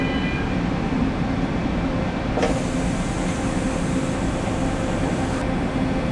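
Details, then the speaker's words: Press trolley, after replacing the pressure and flow regulators: continuous loud rough rumbling roll with a faint steady tone; the trolley is bad and was then replaced. "So we also have a bad trolley. You can hear that?"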